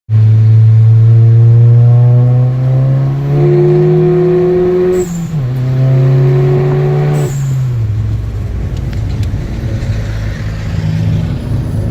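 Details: MK7 VW GTI with Forge BOV, intake, APR downpipe, Vibrant 17930 resonator and muffler delete: loud, boomy exhaust drone rising with revs at full throttle, hissy bursts at gear changes; the muffler delete caused it.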